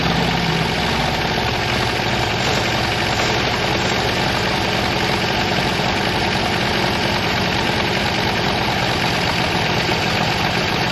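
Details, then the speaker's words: Buick 364 nailhead V8 rebuilt Craigslist engine: steady, even idle with dense rumble, no distinct knocks or ticks; runs smoothly, though heavy blow-by noted and rings expected to seat; normal idle. "Guys, that's a beautiful noise, sound, and smell."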